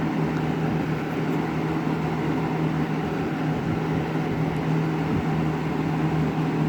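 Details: 20-inch Lakewood S223 second-generation box fan on high speed: even low whoosh with a steady hum, no rattle or ticking; the grill rattle heard on low is absent or masked on high.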